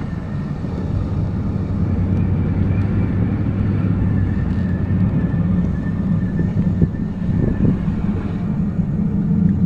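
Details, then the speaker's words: Truck driven slowly across a lot, recorded from inside the cab: deep continuous low rumble, heavier than normal; the owner thinks something probably should be replaced, but the source is undetermined. "I hope you guys heard that obviously that wasn't going too fast but you can still hear that it is not and probably should be replaced yeah"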